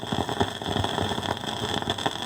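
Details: Fisher 400 tube receiver, serviced with fresh output tubes: irregular crackling and popping over steady hiss and thin high tone, like silver mica disease, with one side's plate voltage fluctuating; bad output transformer arcing, stops with both output tubes removed.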